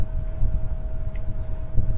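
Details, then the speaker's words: PS3 console fan speed raised to 45% (normal limit 40%) to prevent overheating: steady airy fan whir with a constant mid-pitched hum, a little noisier because the fan spins faster. "Nah otomatis akan sedikit ngebut ya kita tsnya terdengar mesin tesnya sedikit berisik ya karena kecepatan dari tasnya meningkat"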